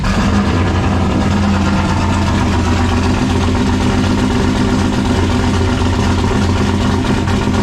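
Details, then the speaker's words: 1951 Dodge one-ton with a 1995 5.9 Magnum V8, new Comp Cams Xtreme Energy cam, 60 lb injectors and a GT45 turbo, first start: loud, choppy, lumpy idle. Two cylinders on one side appear not to be firing, with burnt or broken plug wires suspected. "we should probably make sure it don't plug off because it sounds like it's a little too choppy"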